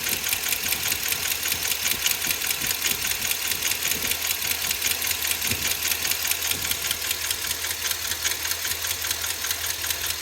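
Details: Ford 7.3L Godzilla V8 at idle: steady sharp ticking, about two or three per second, with a knock underneath; failed lifter in the valvetrain.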